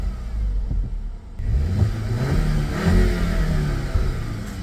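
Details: SEAT Leon Cupra ST estate with a 2.0 TSI (280 hp stock) at 200,000 km, revved before servicing and a planned Stage 1 tune: a deep, even exhaust rumble swells cleanly as the revs rise, with no knocks or rattles. The engine sounds healthy.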